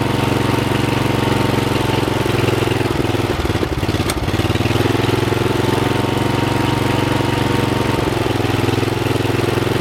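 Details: Rebuilt Troy-Bilt walk-behind mower after new piston rings (old ring gaps nearly three times spec), with a brand-new carburetor and fresh oil, before fine carb adjustment. Steady buzzing run with a brief dip midway, then settles back to an even speed; normal running.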